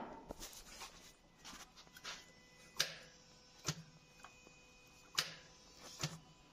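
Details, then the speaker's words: Maruti Suzuki left standing at home for a long time, rats chewed wiring; starter only clicks repeatedly ("kat kat") with no cranking, no start; starter motor found faulty, and no fuel reaching the line with key on. "जैसे कभी देख का रहे the इसका self नहीं ले रहा है सिर्फ कट कट आवाज़ कर रहा है"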